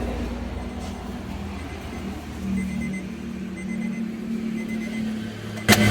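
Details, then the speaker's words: Honda engine idling after oil-leak repair: steady, smooth idle hum with stable RPM and no knocks, misses or ticks, no check-engine light; the engine runs normally. "Mobilnya sudah nyala, tidak ada kendala cek engine, kemudian RPM-nya stabil ya. Nanti juga akan kami scanning kembali guys. Nah, ini normal ya mobilnya, dan suaranya juga halus."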